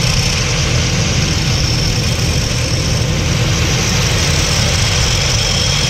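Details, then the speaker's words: CPI scooter idling: steady low drone with uneven knocking underneath, variator clunk from a nut that won't tighten on the damaged crankshaft thread. "so now there is a clunking sound from the variator at idle the thread has gone now the nut didn't go on tight enough so the variator started to have noise"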